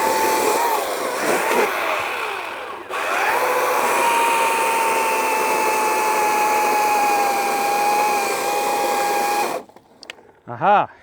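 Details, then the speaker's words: Ego 56V 20-inch battery chainsaw cutting wood: motor whine under cut sags gradually in pitch then cuts out abruptly as the battery runs flat; battery flashing red afterwards. "So I could hear the battery starting to drop down really quick right here on the end. And then right as it was starting to die, you could hear it coming down, and then it just shut off."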